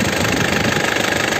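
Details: 2009 Isuzu Panther LS Turbo diesel, manual, engine described as sound: steady, even idle clatter with a quick regular pulse, no misses or odd knocks; healthy, crisp-sounding diesel idle.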